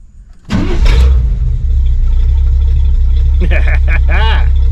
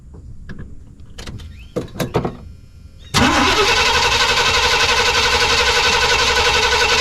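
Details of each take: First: Suburban with a new Evil Energy 600 CFM carburetor and 700R4 transmission, restarted warm after running. A short crank, then it catches at once and settles into an even, steady idle. Normal warm start. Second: Suburban V8 with a new Evil Energy 600 CFM carburetor, still warm. The carb flooded, and a few clicks are followed by the engine catching at once and settling into a fast, even idle. Owner plans to lean the choke adjustment.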